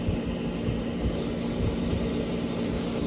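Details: 1970 Gibson Air Sweep window air conditioner running on high cool with a full charge, coil frosting in the teens to 20s: an even fan rush over a steady low compressor hum, no rattles or cycling; healthy, cooling normally.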